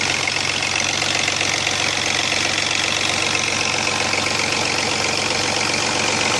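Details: Chrysler Sebring engine: fast, even metallic chatter over the idle as the slack timing chain rattles against its cover; the oil pump no longer built enough pressure for the tensioner, and the chain later jumped, causing major engine damage.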